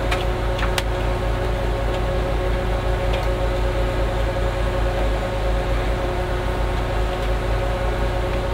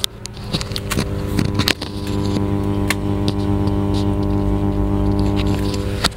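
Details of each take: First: Class H power amplifier: touching the input gives a steady, even low hum through the speaker with no crackle, so the channel amplifies normally. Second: Class H power amplifier driving a 15-inch speaker with no signal playing: a steady low buzzing hum whose level follows the volume control, traced to a fault inside the power amplifier.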